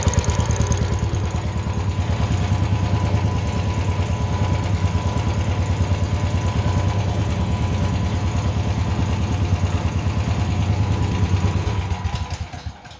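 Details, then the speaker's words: Honda generator after a no-start tune-up (carburetor cleaned, oil changed, fresh gas), first start with choke on: smooth even idle about three firings a second, no surging or misses, then shuts down; normal idle. "Look at that. idling perfect. That right there. Quality."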